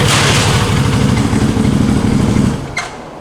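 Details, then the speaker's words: 2021 CFMoto CForce 800 ATV at idle in neutral: fast uneven thumping while primary clutch drives the secondary, preventing shifting; seized primary clutch bearing, before repair. "this primary should be spinning this secondary should not be spinning but the reason you can't shift gears and the reason it's moving is because this is going to be turning the secondary so let me show you fire it up see that it's spinning the secondary so i got all kinds of issues right there"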